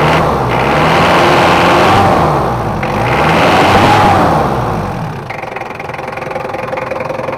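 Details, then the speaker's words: Mitsubishi Kuda diesel after an engine rebuild, with complaints of thick smoke, high fuel use and rough sound. Revving with a coarse, uneven clatter: rough running caused by a missing ring in the lower part of the injection pump, which could not be smoothed by adjustment. "setting dulu untuk mesinnya seperti biasanya bevalor untuk penyetelannya udah selesai untuk Mitsubishi Kuda nya tadi suara kasar itu ternyata pers di dalam injection pump yang bagian bawah itu enggak ada ringnya jadi meskipun dihaluskan nggak bisa halus"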